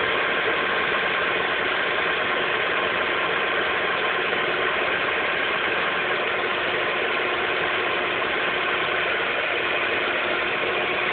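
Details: Lada Priora 2 with 21127 engine, 5,000 km: dense, even rattling tap over the engine note at steady cold idle; cold-engine knock, source not pinned down.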